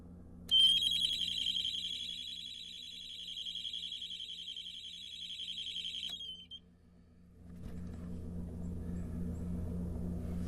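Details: Septic system alarm sounding after the system tripped a breaker and was reset; shrill fast-warbling alarm for about five seconds, then a low steady pump hum as the pump runs; control panel light on, wiring suspected as the problem.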